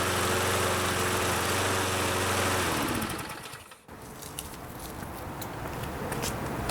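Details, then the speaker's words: Toro Super Recycler with a 6.5 hp Briggs & Stratton, first run after old fuel sat in the carb: runs steady, then sags and nearly stalls before recovering, hunting because the carb bowl wasn't yet full of fuel. Fuel starvation. "you did notice that it was hunting a little bit and that was mainly due to the fact that our bowl wasn't filled up with fuel and it was just lack of gas flowing into the system"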